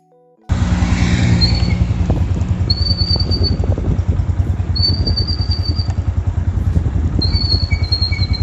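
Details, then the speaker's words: Motorcycle drum brake after riding in rain: high, thin squeal coming and going over a steady engine putter; brake dust on the drum shoes causes the squeal, fixed by removing the wheel and cleaning out the dust. "यह बारिश में कराने के बाद उसकी drum brake में से आवाज आने लगती है"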